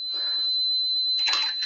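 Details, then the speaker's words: AO Smith hybrid heat pump water heater leak sensor, touched with a wet rag, sounds a steady high-pitched alarm tone. It sounds until reset and fully closes the water shutoff valve. "All right, that alarm is going to sound until it gets reset. And it will also close this valve completely."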